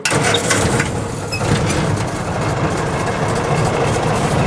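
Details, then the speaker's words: 1948 Willys Jeep CJ2A flathead, engine not warmed up but not fully cold: catches on the first crank and settles into a steady, even, low idle with no knocks or misses; sounds healthy. "Okay, so I'm going to start the Jeep up. Hear it run. It's not warmed up, but it's not exactly cold either, so let's see"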